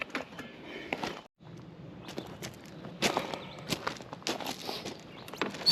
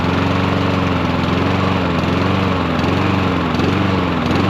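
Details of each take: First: Troy-Bilt 21in self-propelled mower with a Honda engine, after repair: three carb cleanings failed, so the carburetor was replaced and a new spark plug and fresh stabilized gas added. After some handling it catches and settles into a steady, even, smooth run, like new. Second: Troy-Bilt 21in self-propelled mower with a Honda GCV160 engine that runs only with the choke taped on. The engine runs steadily, but its pitch dips and recovers now and then, hunting from a faulty carburetor.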